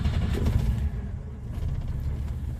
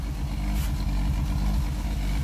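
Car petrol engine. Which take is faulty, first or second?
first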